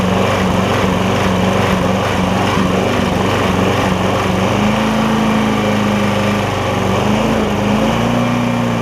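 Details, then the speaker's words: Lowe's MTD push mower with a Briggs Quantum engine, after an intake valve grind: single-cylinder buzz whose pitch drifts up and sags every few seconds, a hunting surge. It runs better, not choking; owner suspects the valve was ground slightly too far and it needs more fuel. "it is running even though it's surging now I think I'm a little bit too far on the valve it is running better it's not choking itself out"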